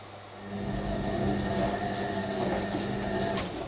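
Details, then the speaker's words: Newly acquired collector's washing machine on a hot wash, filled with hot water, short tumbles, 2.5 kW heater running toward 95 °C: steady even hum with a soft drum swish and no knocks or scraping; heating and tumbling normally. "so we are heating to 95 degrees Celsius heat is roaring away to 2.5 kilowatt"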